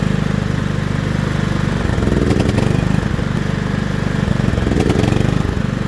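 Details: John Deere L110 lawn tractor that sat 3 years: steady, even low thumping beat with no misses or surging; engine settles and runs cleanly.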